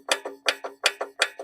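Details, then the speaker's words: 2017 Hyper Tough mower, Briggs & Stratton 300E series engine, turned over by hand via the blade: sharp paired metallic clicks, almost no compression; suspected worn connecting rod bearing with a lot of play, oil showed silver swirl. "connecting rod bearing. A lot of play."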